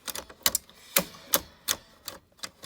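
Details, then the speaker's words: Electrohome portable record player, during cleaning and lubrication of the drive: sharp, uneven dry clicks about twice a second with nothing running underneath; the speed-change mechanism snaps over briskly, probably dry parts with friction. "I don't know if it's supposed to change speeds as briskly as it does but anyway that's not that big of a deal I don't think"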